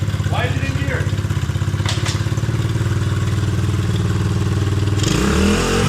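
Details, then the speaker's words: 70cc Coolster pit bike single running with the flywheel cover off after a chain-derailment failure: quick, even putter with no scraping or rubbing, running clean again; earlier noise suspected to be the damaged cover. "Sounds like we got a little ripper again, boys."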